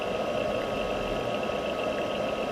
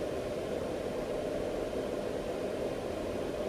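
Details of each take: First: Palstar PS-30M power supply cooling fan, before replacement with a quieter fan: loud, constant airy whir with a steady whistle and no speed change. The fan is noisy, which is worse when ambient temperature is warm. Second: Palstar PS-30M power supply after replacing its noisy cooling fan with a quieter one. Soft, steady airflow hiss with no whine, rattle or bearing grind. New fan runs quietly; no overheating after 6–7 weeks of use.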